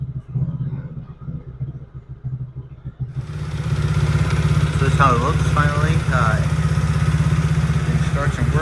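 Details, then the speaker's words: 110cc Chinese ATV single-cylinder after the intermittent-spark repair. It catches and settles into a steady, even putter with no misses or cutting out; running properly. "All right, there she goes. So, I think she's pretty much ready to roll."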